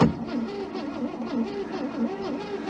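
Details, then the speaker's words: Scrap heap Ford Falcon, first crank: starter whirs in rhythmic cranking with an occasional quick beat, suggesting a cylinder leaking compression; cause unconfirmed. "now that quick spot is where it's leaking compression somewhere"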